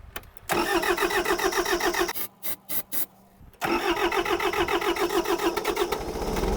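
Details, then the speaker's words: Kubota diesel tractor, cold start after glow plug warm-up: cranks briefly, catches, stumbles, needs starting fluid, then fires and settles to steady idle; owner concludes a glow plug issue since it restarts fine the rest of the day. "I think I'll try it first without any starting fluid yeah I need starting fluid she starts and runs and starts the rest of the day so it's definitely a glow plug issue"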